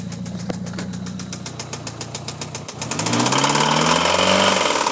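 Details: 1997 Mitsubishi Eclipse GST; sharp regular ticking about four times a second over idle, continuing as engine revs; engine ticking noise, owner asks what causes it, source unknown.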